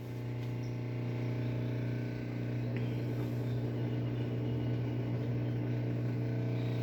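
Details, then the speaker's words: Easy 16 kg washing machine after repair of the microswitch underneath, which had stopped it washing or spinning though the LEDs lit: drain pump and low steady motor hum with faint rhythmic swish, no grinding; washer runs normally. "ahí se alcanza a escuchar cosa que no hacía esta lavadora no hacía nada simplemente prendía lo que son sus leyes podías programarlo pero no no lavaba ni centrifugaba"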